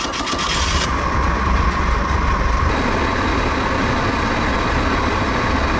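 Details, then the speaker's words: Restored outboard boat engine under load on the water after restoration with approved vented fuel tank: strong steady drone with water and wind rush, no knocks or misses; running healthy. "Woo, this baby flies! Look out!"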